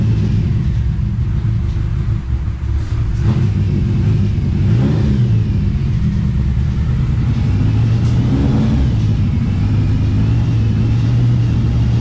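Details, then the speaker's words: TVR Cerbera after fitting new coils: engine runs somewhat better but still rough and uneven, with something rattling up front; air-con compressor seen moving. Rough running. "oh it seems a bit better as you can hear there's um something rattling up the front"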